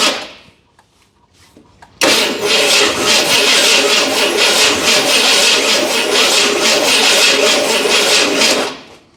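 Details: 1981 Ford Bronco, start attempt after purchase: remote button bumps starter, coil connected, carburettor fuel bowl filled; about six seconds of fast, uneven cranking, no catch. Owner suspects ignition timing issue.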